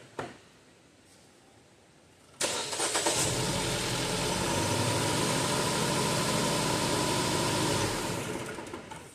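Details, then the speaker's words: 2016 Jeep Cherokee 2.4 MultiAir that shakes while driving and at rest, after swapping cylinder 3's coil and plug with cylinder 1's: cranks, then idles with a regular, consistent dead-miss stumble. Misfire from a failed ignition coil. "But based off the way that this runs, and I'll get you a shot of it here, it's kind of consistent miss, sort of dead miss."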